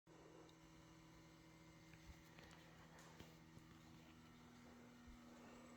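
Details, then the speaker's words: 2017 Toyota Tacoma parked in garage for hours, doors unopened, key fobs in the house: faint steady whir with constant low hum from underneath the truck with everything off; source unknown. "does anybody know what that sound is this is a 2017 toyota tacoma it's been parked in the garage for hours there's no key fobs in the vehicle they're in the house"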